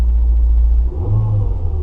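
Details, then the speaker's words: 2007 Ford Focus after replacing only the worn passenger-side engine mount (it had rattled everything at start-up): engine idles low and even, revs briefly and settles smoothly with no knocks or shudder; like a new car, that one mount was probably the whole problem. "like a new car just that one mount probably was all that was wrong"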